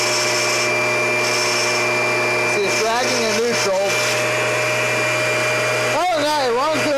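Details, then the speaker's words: Kirby vacuum, Generation 4 (1995) or G10 Sentria (2011), running: steady high motor whine with a wavering warbling tone coming and going from the tech drive self-propel; drive transmission noise. "that noise you're hearing is the tech drive"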